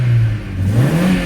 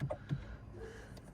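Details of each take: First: Opel Astra H after refitting its original ignition coil in place of a faulty replacement: engine revs up cleanly with a smooth rising note, no stumble or popping; misfire gone, though the check engine light is still on. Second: Opel Astra H with a misfire and poor pull-away (codes P0120, P0340, P1120, P1635): labored cranking at about three pulses a second for two seconds before it catches; the starter is worn and dragging.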